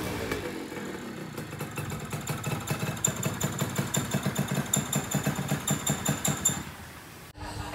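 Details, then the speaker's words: Yamaha Tiara S120 two-stroke scooter before restoration: uneven, popping idle with loose irregular beats; compression leaking from block and cylinder head, to be repaired with engine rebuild and porting. "Oke, jadi ada kebocoran kompresi dari blok dan head silindernya nantinya bakal kita repair dan bakal kita tata ulang juga engine-nya beserta porting."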